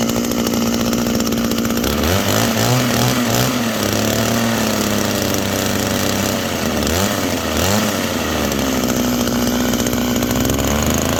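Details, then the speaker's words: Small two-stroke hedge trimmer after oiling the blades, a commonly missed maintenance item: revs up and down smoothly with blades chattering evenly, no binding or bogging; runs properly. "Nice and lubed up. That simple. Keeps everything running properly, and occasionally"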